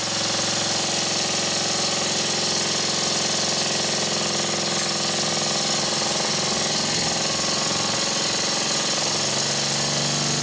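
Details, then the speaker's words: Stuart 10V steam engine after a partial rebuild and valve timing adjustment, running on compressed air on a workbench that amplifies noise, in a high-speed test: fast, steady, even exhaust beats. Slight gasket leaks were fixed by tightening the bolts. Runs cleanly. "Now's the time for a few high-speed tests. As I turn up the air pressure, I notice some slight leaks around the gasket, and this is an easy fix."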